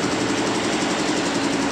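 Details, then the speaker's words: Nancang diesel, running after the cracked gasket (perpak deksel) was replaced. Before the fix it was hard to start, failing even after four pulls. Now a steady, even diesel beat with no misses, knocks or hunting. Runs normally. "mudah-mudahan nanti mudah hidupnya sudah ganti Pakde kerusakannya karena pecah tadi Oke sudah hidup normal"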